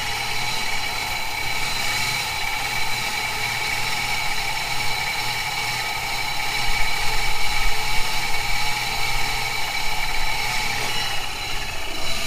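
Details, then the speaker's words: 1997 Camaro 3800 Series II V6 at idle, with the throttle body and MAF already cleaned: a lumpy, wandering idle that smooths while cleaner is sprayed and worsens when spraying stops, pointing to a vacuum leak at the front of the lower intake manifold gasket. "it seems to get smoother and then it seems to get worse when you stop spraying so I'm almost sure to bet right in that forward or the front of the lower intake manifold gasket we have a problem"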